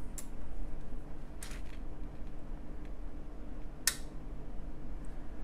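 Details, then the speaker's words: Accuphase P-300 power amplifier after power supply card work, at switch-on: low hum, then one crisp speaker relay click a few seconds later; protection engages, lamps come up slow, 16 V rail still only about 8 V. "we get a speaker relay click and the lights come in but this is where i'm supposed to be 16 volts i'm at about eight volts"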